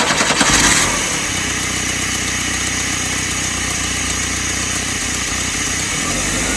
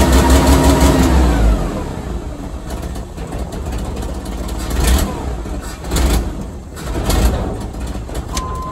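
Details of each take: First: 1986 Chevy S10 Blazer 2.5L with a runaway idle, run with the MAP sensor unplugged: it catches, then runs roughly and hunts with revs hanging high and racing again, so unplugging didn't cure it. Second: 1986 Chevy S10 Blazer 2.5L after vacuum, throttle return spring and IAC pintle work: cranks, catches, flares, then settles to a lower, mostly steady idle with slight surging, now idling a bit low while the IAC relearns.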